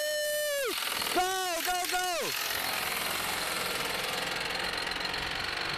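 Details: Car driven past at auction: fast, hard, loud continuous knocking over the engine; serious bottom-end knock, suspected rod knock, not confirmed.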